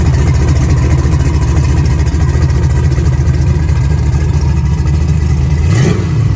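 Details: Rebuilt 6.0 LS V8 on a run stand, fed from a 5-gallon bucket with a Silverado fuel pump, running after swapping to an original GM crank sensor: fires, deep steady rumble, smooth rev near the end; runs clean and even.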